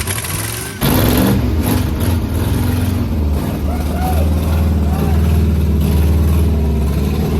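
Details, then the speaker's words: 1980 International Scout II, abandoned with rust in cylinders, first start after sitting: catches at once into heavy, slightly uneven low chug, very smoky as diesel put in the cylinders burns off; also a major ATF leak. "Gents, this thing runs. It's really smoky because of the diesel we had in the cylinders, but it's got a major ATF leak"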